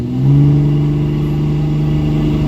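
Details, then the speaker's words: Cummins diesel truck, 48RE, wide-open-throttle acceleration after torquing hand-tight injector cross tubes: deep, clean rising pull with no stumble or sag; rail pressure now holds 23,000 PSI instead of dropping 15,000–17,000, high return rate fixed. "23,000 PSI under wide open throttle. Oh, that's awesome. It was, every time I'd floor it, it would drop like 15,000, 16,000, 17,000. So the high return rate has been fixed."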